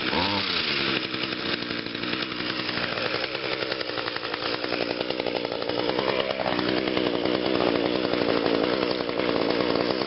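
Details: 2010 Echo HC 150 hedge trimmer, 21.2cc two-stroke, started on three pulls on choke after sitting a couple of weeks: fires, then holds a steady, even buzzing idle with no misses or knocks; normal healthy run.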